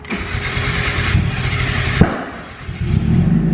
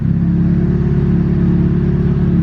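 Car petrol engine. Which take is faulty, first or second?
first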